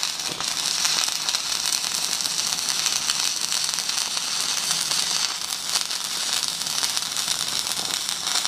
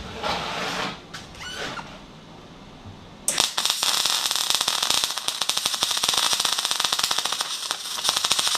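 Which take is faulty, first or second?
second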